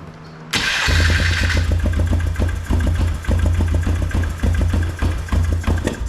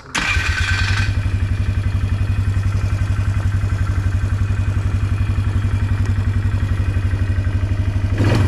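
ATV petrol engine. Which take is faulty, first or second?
first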